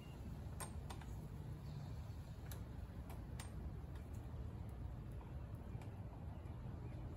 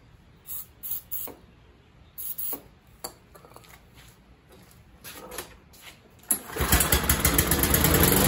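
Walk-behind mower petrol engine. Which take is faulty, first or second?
second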